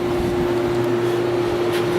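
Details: A 1970s Whirlpool 6000 BTU air conditioner with a Seeger compressor and GE fan motor, after replacing an old capacitor that sometimes failed to start the compressor, on low fan with a heater in front, giving 51° output air. Steady even hum and soft fan rush; running normally.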